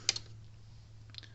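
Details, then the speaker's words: Gallagher Power Plus S50 solar fence charger on a ~13 V bench power supply: sharp snapping clicks about a second apart over a faint hum, louder than normal though output is good; the transformer is arcing inside. "Okay, it's putting out good, but hear that loud snapping sound? These usually aren't that loud. It's putting out right, but it's loud. That's not normal."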